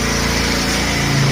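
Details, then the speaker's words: Scooter: small engine buzzing at a steady, even pace with muted exhaust and no puffing or ticking leaks; runs healthy. "Alrighty guys, the exhaust stud has been fixed, and now my scooter is much quieter."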